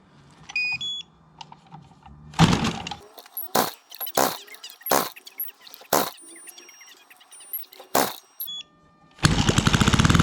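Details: Fiala Valach VM70V1 70cc four-stroke single, newly installed in a Hanger9 X-Cub RC plane and restrained outdoors in cold, snowy weather, first start: several sharp pops while cranking, then it catches into a fast, even beat; clean start, healthy running.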